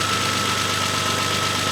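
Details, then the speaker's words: Renault 25 V6 Turbo cold idle: steady even note with constant high whine, speed holding without hunting or stumbling; idle control valve now controlling idle normally, previously it stalled when cold. "this is definitely a controlled idle I can hear it change it definitely could not stay at idle before without this valve being cut off and the hose uh clammed onto it"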